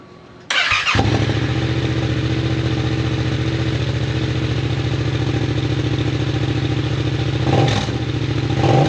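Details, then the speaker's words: Yamaha MT-07 twin, first start after full aftermarket exhaust install with silencer in: starter catches, then deep, steady, throaty burble with a quick blip; runs clean, normal idle. "That sounds pretty mean."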